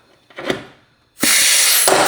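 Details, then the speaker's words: Heavy structural rivet gun borrowed from a neighbour, setting glued rivets in the crash-repaired front end of a written-off Range Rover. A brief sharp snap, then a sustained air hiss; it pulls the rivet in fully and glue squeezes out. Normal rivet setting. "Nice. It pulls it in. You can hear it. I love how it pulls it in. Perfect."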